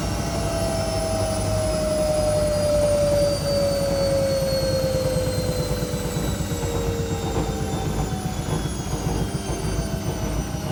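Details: Washing machine during spin: loud, steady jet-engine-like roar with a high whine slowly falling in pitch as the drum spins down; loud roar during spin.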